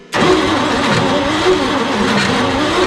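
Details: 1955 Chevrolet Bel Air, first start after 30+ years stored: rough idle with light ticking; ticking persists with old drive belt removed, so not the water pump; source unknown. Engine ticking noise.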